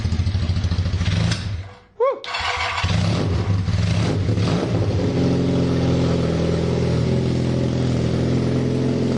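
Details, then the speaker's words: KZ440 single-carb motorcycle after carb cleaning and air/fuel screw adjustment: revs with a hesitant catch and flat, uneven pickup. Still lean; the owner realises it needs a larger main jet. "I need to put a larger main jet in it because we were"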